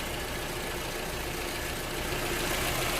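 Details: Toyota RAV4 after alternator and belt replacement: an even, steady idle hum with no knocks, squeals or misses. The alternator is charging at 13.6 V.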